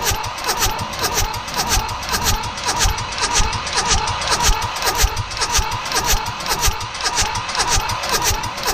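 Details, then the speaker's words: Mitsubishi D1800 tractor, KE95 diesel, after ND injection pump overhaul: long steady cranking, even starter rhythm, no firing; no fuel comes from the pump. "so these are the delivery valves for the pump we should see fuel squirting out of there there's a key I'm gonna crank it again have a look we got nothing"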